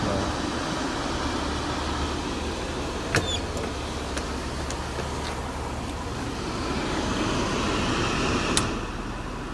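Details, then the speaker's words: Mercedes W124 M103 with random overheating, after cleaning the coolant-sensor contacts and pulling the fan relays, AC on, temperature at about the 100 mark: electric cooling fans, apparently on low speed, rush over a calm idle, cycling every 20–30 seconds with relay clicks. Normal. "Cooling fans are coming on. Looks like low speed, I guess. AC on. And it's at this temperature here. So right about the 100 mark. They start coming on. They're cycling on and off about every 20-30 seconds, bringing the temperature down, hopefully."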